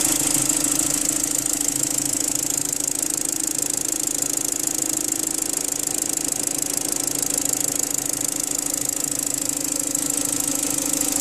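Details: BMW N45 engine at idle: sharp, regular ticking knock about three per second over the engine hum; engine knock, source unconfirmed.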